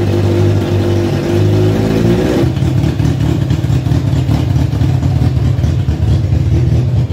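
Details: Kawasaki ZZR 1100 engine swapped into a Fiat Panda 750 Fire, during engine tests: steady engine note that climbs and settles cleanly when revved, no knocks or rattles. Runs healthy.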